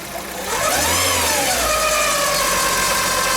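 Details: Petrol engine in a Fiat Palio revved briefly; a whining tone rises and falls with speed, coming from a worn, failing water pump, heard in the timing belt area.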